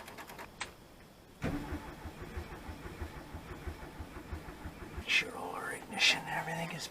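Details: 1970 VW bay window bus, sitting about 10 years, float bowl primed, accelerator pump unknown: slow uneven starter grinding at about one turn per second with no firing; cranks but no start.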